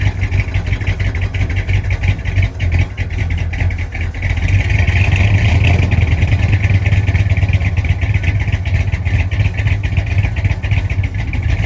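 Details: 1965 Chrysler 300 non-letter car, 383 V8, revived after sitting since 2005 in the California desert following transmission issues; carburetor mixture screws about 1.5 turns out, still needs timing. Low, even idle rumble rising about four seconds in and holding higher revs; runs and takes throttle.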